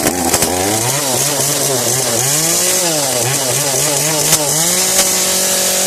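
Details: Kretec UDT two-stroke chainsaw on 25:1 petrol-oil mix, just started: crisp buzz rises and falls cleanly with each throttle blip, then holds an even tone; saw runs healthy.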